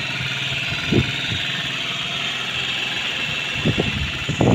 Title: Long time no start; Aprilia Leonardo 125